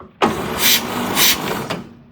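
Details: 1946 Chevy pickup straight-six, sitting since late 1980s: starter catches straight away and cranks with quick, even turns after repairing a ripped starter feed wire; starter circuit now working normally.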